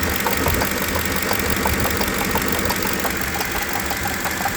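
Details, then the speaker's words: 2008 Ford Expedition 5.4L V8 with nearly 260,000 miles running with harsh grinding rattle and uneven knocks about three a second from a seizing A/C compressor clutch pulley bearing that will not spin freely; bearing to be replaced. "Currently this one sounds horrible and it is basically seizing and will not spin freely anymore."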